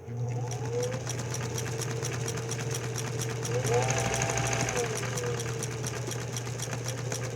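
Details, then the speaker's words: Singer 206/306 sewing machine using standard 15x1 needles at two to three stitches a second, with a light tick each stitch as the needle strikes the bobbin case arch, pulling the stitch line to one side. The fix is a modified bobbin case. "that little tick, tick, tick, tick."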